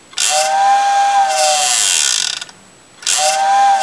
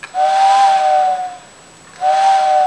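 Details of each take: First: Vintage Tyco steam locomotive whistle retrofitted with CD player can motor; two whistle blasts about two seconds each with buzzy rattle underneath from motor vibrating; whistle motor vibration noise. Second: Vintage TYCO steam locomotive whistle after its original motor was replaced with a can motor from a CD player and further reworked: two clean whistle blasts with a steady tone and airy hiss, no vibrating or buzzing, motor faintly audible; whistle works properly.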